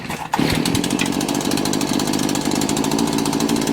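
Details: Two-stroke weed eater (string trimmer) cold start with switch on, primer primed and full choke; a few fast pulls, then it catches and buzzes steadily, slightly ragged on choke; normal cold start.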